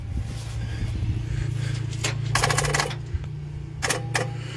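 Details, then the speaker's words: 1969 Ford C700 truck, 330ci V8, cold start attempt after nearly nine months sitting, battery borrowed from another truck: two bursts of fast chattering clicks, no cranking; bad starter or battery connection, poor cables and bad grounds. "well that would be a bad starter connection right there or battery connection"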